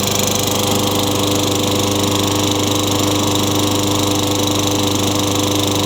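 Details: Discarded Craftsman 22-inch mower with Tecumseh 6 hp engine, after a new Champion RJ19 spark plug and air filter refit: loud steady buzzing drone holding speed evenly, no surging or misfires; runs properly, no smoke or oil smell.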